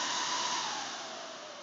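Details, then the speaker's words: Server with five hard drives, slow to boot, at power-on: loud steady airy fan roar with faint high whine easing slightly while drives boot; normal fans at full speed during boot. "yeah no the fans are on the hard drives are going to boot up"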